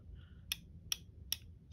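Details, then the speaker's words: DAM Quick 101 spinning reel being serviced, spool backtracking with the bail closed: crisp, evenly spaced ticks about two and a half a second, signalling line going out; drag clicker works normally. "to backtrack and as it does you'll hear the clicker letting you know my line is going out even though the bail is closed"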